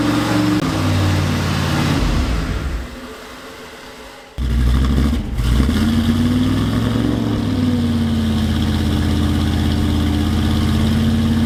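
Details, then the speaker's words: Ford F100 turbo 360 FE V8 during cam break-in, running hot with something rubbing: uneven lumpy running sagging near stall then labouring back; timing chain failed and jumped time, later found valves stuck open, pistons likely hit valves. "Obviously, the timing chain failed. It must have jump time and that's probably why this thing was so hard to get running and ran like absolute and it didn't seem like we could get the timing right at all."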